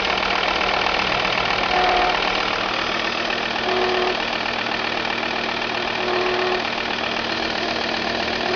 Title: strange noise volvo v70 tdi